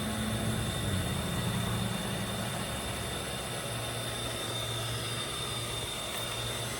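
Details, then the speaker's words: Well pump rewired and plugged in with pressure switch and gauge fitted, pressure building: constant low hum with faint steady high tone, no grinding or clunking; pump runs smoothly. "we're going to plug that guy in and listen to the pump come on and listen to it go off with the pressure switch"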